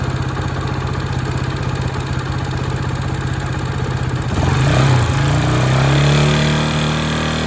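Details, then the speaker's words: Honda Sonic small single after top-end rebuild (new cylinder, piston, rings): sharp metallic clatter resembling loose valves, persisting after valve adjustment with cam chain not slack; mild at idle, much louder and harsher when revved hard; piston striking the head. "เสียงเสียงคล้ายๆเสียงวาล์วนะแต่ตั้งวาล์วแล้วก็ไม่เงียบโซ่เราลิ้นก็ไม่หย่อนเร่งยิ่งเร่งยิ่งเร่งแรงๆเนี่ยมันจะยิ่งดังดังมากเลยนะ"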